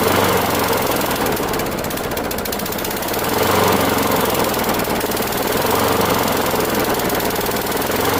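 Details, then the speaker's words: Discarded Craftsman Gold mower, Briggs Quantum 6.75 single-cylinder, front self-propel, first run: rough uneven beat stumbling and surging every few seconds, skipping; plug really rusty, cause of skipping not yet known. "Feels like it's skipping. I don't know why. Looking at the front of it, the plug is really rusty."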